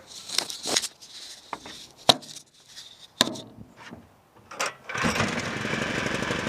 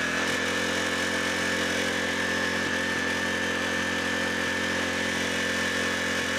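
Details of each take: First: Low-hours 11hp Generac generator engine, generator head burnt out, after penetrating oil on a stuck carburetor idle control: after clanks, it catches and settles into a steady, even chug with no misses; running normally. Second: 11 hp Generac engine from a generator with a failed head, no fuel in the tank: screams at a constant high speed with a fixed high-pitched tone; apparently stuck idle control holding the throttle wide open, and owner plans to free the linkage with penetrating oil.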